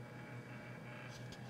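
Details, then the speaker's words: Door chime after installing a Ubiquiti G4 Pro smart doorbell and higher-amperage transformer: steady low buzzing hum as the spring-loaded striker oscillates. About 3.5 V still reaches the chime between rings; relay accessory didn't fix it. "hear and that's because this spring-loaded doorbell chime striker that you see here in the background is constantly moving up and down a little bit it's oscillating because these leads are still getting a constant voltage supply which started happening once I added the G4 doorbell Pro"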